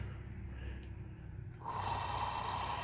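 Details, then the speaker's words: Z motor tested with belt rolled off, running alone in constant mode: rough uneven whirring jumping to a harsher louder tone, sound of a bad motor that gradually gets worse; motor itself failing, needs replacement. "yes that is the sound that a bad motor will make and you'll notice that it gradually get worse"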